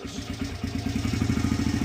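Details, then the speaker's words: 2006 Honda CRF100F after tightening the timing gear bolts, started on choke after sitting months: small single thumping evenly at idle, crisp regular beats, no ticking; clicking noise fixed. "Oh, she shut off. But yeah, guys, no more clicking noises. Perfect."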